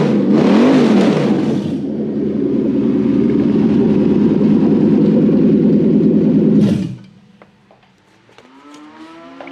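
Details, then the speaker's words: Toyota Hilux converted to a 1UZ VVTi petrol V8 with a new manual wiring loom, running on stale petrol left over the weekend: strong rev-up, smooth steady pull, clean drop back with no knocks or misses; sounds healthy. "found the revlon that sounds better like that"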